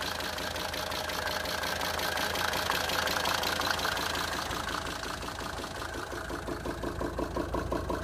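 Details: Mercedes 190D 2.5 Turbo diesel at idle after chain tensioner replacement: steady knock about three per second over the clatter, seeming to come from the air intake on the right wing; cause unknown.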